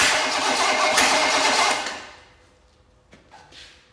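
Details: Small block Chevy of unknown condition, fuel poured in for a start attempt; two seconds of loud cranking with only a faint catch, then silence; cranks but never fires properly. Cause suspected, not confirmed.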